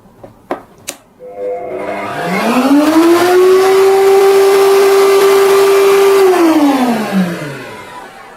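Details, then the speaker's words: Motor started with the soft-start switch on a 900-watt supply. The hum climbs gently over about a second to a steady, even pitch, holds, then winds down. The surge drops from 5 to 4 A and the MCB doesn't trip, a clean soft start. "Lonjakannya dia lebih kecil guys. Kalau tadi itu 5, nah ini tuh 4. Dan MCB-nya itu nggak turun ya guys ya. Di 900 watt. Di 900 watt nggak turun om. Dan suaranya itu lebih halus ya setelah awalnya guys ya."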